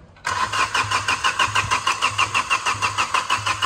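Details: Hydrolocked engine after days of flooding rain, with water drained out and injectors loosened one by one to bleed air (18 mm spanner): steady starter churning at about three beats a second with even compression pulses, but it never fires. Cranking without starting.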